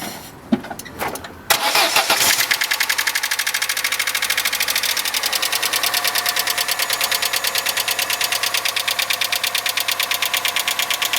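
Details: 2001 Opel Astra station / Vauxhall 1.6L starting and idling: fast, sharp, even hydraulic lifter tick, solved by replacing the hydraulic lifters and oil.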